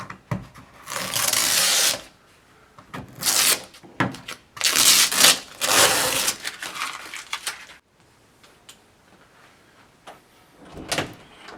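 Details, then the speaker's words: Door after cleaning the hinge pin with WD-40: the door swings with only soft rubbing and light knocks, no hinge squeak. "As you can see, no squeaking at all."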